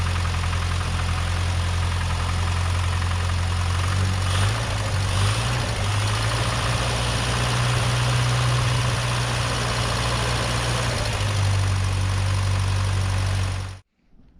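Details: Rover P6 2000 with SU carb refitted after a service, fuel pump manually primed, air filter and heat shield still off: engine catches and settles into a smooth, even low idle with no misses or knocks.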